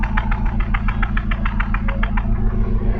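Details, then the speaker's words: Chevrolet Grand Vitara J20A engine at idle, heard at the exhaust: deep rumble broken by a steady puffing stumble about twice a second; engine shakes, lost power, gear lever and steering wheel vibrate; suspected misfire, cylinder 3 showing very weak secondary ignition signal. "Estamos aquí en este en el escape de este gran vitara y s se siente que tiene un misfire Ahí está más"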